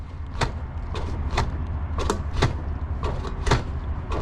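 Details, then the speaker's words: Ride1Up Revv1 moped-style e-bike, front bounced and lifted: dull knocking clunks about every half second. The hydraulic-spring front fork (the rear shock is air-sprung) clunks at top-out when it extends fully. "it kind of clunks which makes it seem so much less quality than what it is when you're just riding around it feels great off road feels great on the road feels great you catch a pothole feels great but as soon as you try to lift the bike up front it just clunks right into the top position"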